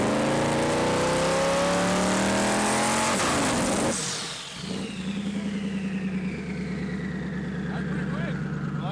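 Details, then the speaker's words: Haltech-tuned car on the two-step after a big tune change: revs rise hard, then sag on the limiter into a dull, lazy popping stutter. Too much timing was pulled out, so the launch bogs and lays over. "Yeah, I counted too much timing out. That's why you don't make big changes. It seems like it actually got on the brake about the same amount of time, but when it got there, had so much timing pulled out that it started to lay over."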